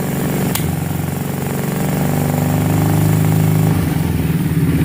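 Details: 2006 Kawasaki Brute Force 650 quad, warm, after valve clearances reset: uneven, stumbling idle with a sharp early pop and coughing, lumpy rhythm, backfiring through the front carb; fixed by clearing its clogged fine carburetor jets.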